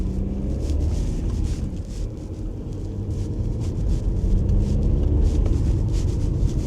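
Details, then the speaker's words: Audi A4 that failed its MOT, road-test turbo check: deep, even rumble building smoothly under load with steady road noise and no whistle or flutter; it pulls and boosts, clutch good. Engine light is on but the engine runs fine. "Let's make sure the turbo works. It pulls. It boosts."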